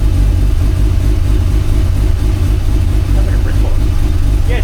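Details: Mazda RX-8 Renesis rotary on a newly installed Haltech Nexus R3 with a custom universal loom, smelling lean just before: a deep, even, fast-pulsing rumble that holds steady with no misses or knocks; normal idle.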